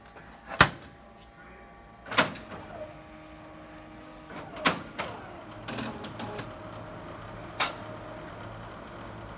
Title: OKI C931e printer making loud noise at startup